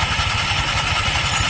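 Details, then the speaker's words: Honda Click 125 scooter with a noisy CVT: hissy, rasping whirr over the idling engine with rough pulsing underneath; a dirty belt is slipping, fixed by cleaning the CVT, after which it runs quiet. "So madali lang yan guys. Ang problema yan ang nag-ingay diyan yung belt. Pero bakit nag-ingay yung belt?"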